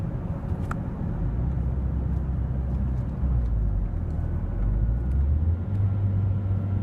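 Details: Mazdaspeed3 driven about 2 miles after sitting two weeks: rough low rumble swelling and sagging unevenly at steady throttle, revs dropping and surging repeatedly around 3k rpm while pedal held steady; surging and misfire, owner suspects fuel pump, unconfirmed.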